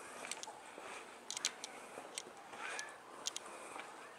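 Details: Sony NEX-5N recording 1080/60p with internal microphone: sharp irregular clicks, a few per second, over quiet hiss; the camera's own mechanism ticking into its built-in mic.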